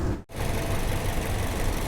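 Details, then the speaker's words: 2011 Toyota Vios after cleaning and refitting the throttle body: starts fine and idles with an even low rumble, settled and steady with no misses or rattles; normal idle. "เขาก็โอเคครับก็มืดแล้วสตาร์ทโอเคปกติดีเนาะปัญหาเลยครับเนาะ"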